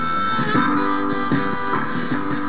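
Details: Stromberg Carlson FR503/504 radio after replacing the defective capacitor, at full line voltage: harmonica and guitar come through clean and full with no hum, crackle or distortion; normal audio output.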